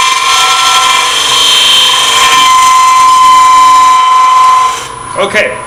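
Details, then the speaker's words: Lathe turning an open segment vessel at relatively fast speed, tailstock out, very light cuts with a smaller gouge; at the bloodwood layer below oak, bright screeching cut with uneven fluttering rattle, then the cut stops – tool chatter from bouncing segments. "i've gotten down to where this bloodwood piece is the difference is you could tell the sound how that thing's bouncing around"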